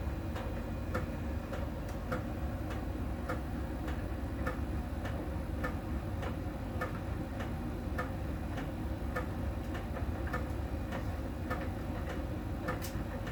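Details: Miele tumble dryer during drying: light regular tick about every 1.2 seconds over the tumble hum, from a small ball sensor rolling over the drum and touching a contact spot each turn; normal, per the Miele technician.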